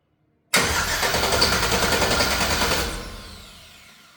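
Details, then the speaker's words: Bus engine with a newly fitted starter cranks evenly and briskly for about two and a half seconds via a button wired straight to the starter, with no computer or fuel pressure connected so it cannot start; healthy cranking. "Cranks sounds good. Sounds healthy from just cranking."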